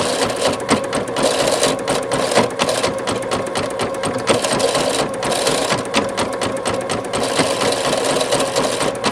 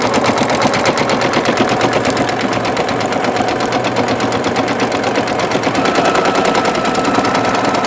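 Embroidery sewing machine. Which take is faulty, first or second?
first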